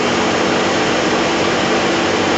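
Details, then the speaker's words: Smart car with A/C on, after condenser fan plastic replaced and A/C gas recharged: steady even rush of air from the electric fan, no rattle, scrape or whine. "dando Electro no se escucha ni un ruido ni nada"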